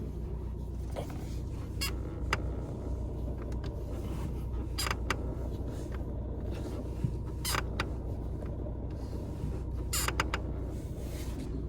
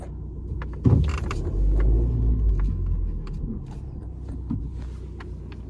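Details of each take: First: Fiat Egea 1.3 Multijet manual diesel at idle, rpm fluctuating earlier: steady rumble with short irregular squeaks or creaks every few seconds, belt area suspected; intermittent engine-bay creaking. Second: Fiat Egea 1.3 Multijet diesel, manual, on a restart: even low idle rumble with no rpm surging now. Earlier it surged heavily and ran noisy, with noise from the belt area.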